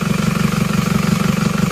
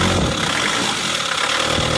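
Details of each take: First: Isuzu Panther diesel after raising injector pressure from about 130 to 190; cylinder 4, previously dead, now contributes. Still slightly uneven but much smoother, with an even steady chug: smooth diesel idle. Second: Isuzu Panther diesel with a limping engine, smoky exhaust and a dull note when revved: lumpy uneven idle with a recurring stumble, one cylinder unbalanced; loosening injector lines one by one showed cylinder 4 weak from a faulty injector.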